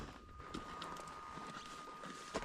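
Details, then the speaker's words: KTM 790/890 warming up at high elevation: faint, steady high whine under footsteps and quiet surroundings; it is the fuel tank vent, goes away later, gas cap should not be opened. "If you hear that whine on a 790 or an 890, do not open the gas cap. It's the vent. And when it's warming up and you're at high elevation, you'll get that whine from the vent."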